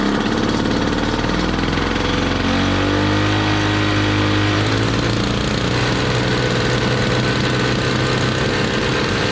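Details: 1968 Ski-Doo Super Alpine 370 opposed Rotax two-stroke, first start in two years at −23°C, choke held on: raspy buzz with wandering pitch never settling to idle; running rough, belt smells burnt; cause unconfirmed.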